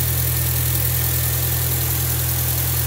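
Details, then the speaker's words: Volkswagen B5 petrol engine after repair of a cylinder 1 misfire, first start with a new camshaft: idles smoothly with a steady, even low hum and no stumble or misfire; normal idle, works like clockwork. "а то ну всё работает как часы ну все красавец победили"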